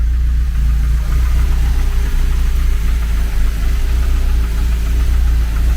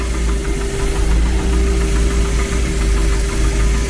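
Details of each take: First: Renault 11 TXE carburettor engine after idle and mixture adjustment, air filter removed, dipped headlights switched on: deep steady idle holding an even beat without hunting or stumbling; carb judged well adjusted, CO still to check; normal idle. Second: Renault 11 TXE carburettor engine restarted after a new pulley fitted, idling barely 500 rpm (target 800): slow lumpy idle, low uneven rumble; idle stop screw not bearing on the throttle lever, later fixed by loosening a screw, possibly the mixture screw.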